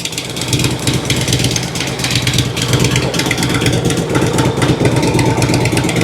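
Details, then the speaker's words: 2006 Harley Road King Twin Cam after replacing the cam chain tensioners and inner cam bearings: an even, loping low idle thump with no knocking or ticking, running smooth. "Oh yeah. Running nice and smooth."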